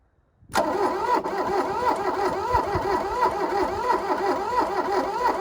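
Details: 1982 VW Rabbit diesel pickup (Caddy), sat 20 years, glow plugs wired on full power: steady starter churn around ninety a minute, no catch until the end, lots of blowby; hard cranking, owner thinks oil pumped out.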